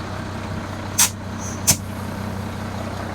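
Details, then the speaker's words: 1979 International dump truck with Detroit DT466 diesel, idling after a leaking air line was replaced: two sharp air bursts as the air brake releases, then a steady diesel idle with no lingering hiss. No air leak. "I don't hear any hissing. That's good. Put some soapy water on some stuff here."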